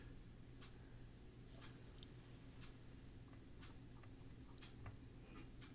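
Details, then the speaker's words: Early-1990s Bose Wave Radio AWR1, non-working when received: a low, steady buzz from the speaker that volume does not affect. Filter capacitors are suspected, as in old tube radios; not confirmed. "So, the volume has no effect on the uh noise. So, in an old tube radio, that would be the filter capacitors. Very, very noisy."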